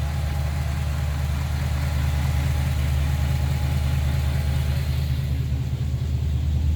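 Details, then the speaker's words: Restored 1956 Ford Victoria at pre-purchase inspection: smooth low V8 rumble, steady beat about two per second, no ticking, no smoke; healthy even idle. "okay there we go now we're running runs nice and smooth idles well see no signs of smoke or any issues"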